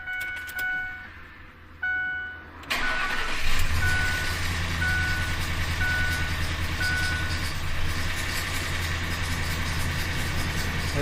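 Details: 2004 Ford F-150 4.6L V8 4x4, just had a transmission installed, now cranks, catches, then idles rough and uneven with a lumpy beat, rattling and stalling; timing chain has jumped a tooth.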